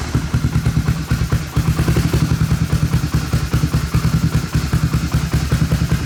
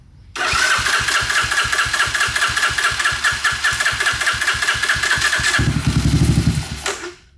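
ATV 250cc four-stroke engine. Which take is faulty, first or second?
second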